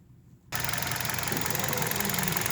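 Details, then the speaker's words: 2015 Kia Rio, about 49,303 km, warm, near 1000 rpm idle, heard under the hood: sharp ticking knock around cylinders 1–2, loudest when revved toward 2000 rpm and as revs fall, clear in mornings, gone under load when pulling away; cause unknown. "особенно когда подгазовывать до 2000 без половины и когда оборот начинает падать утром очень хорошо слышно а когда начинаешь трогаться чуть нагрузку идет то есть этого нет"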